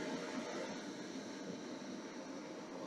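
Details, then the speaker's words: DIY 5000W solar power cart inverter, charging from a 121 V input, no output load: even airy whoosh with no rattle or ticking; cooling fans kick on and run normally under charging load. "It's hard to get that screen in there, but we're charging. You can hear the fans kick on"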